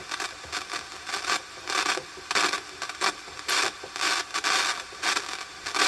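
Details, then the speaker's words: 80s Hanimex radio (HR1300/HR1225 pair) check-over: irregular bursts of scratchy crackling static as the dial moves, few stations found and nothing at the bottom end; owner blames a dicky switch and probably a dodgy tuning cap. "Dicky switch. Probably a dodgy tuning cap as well."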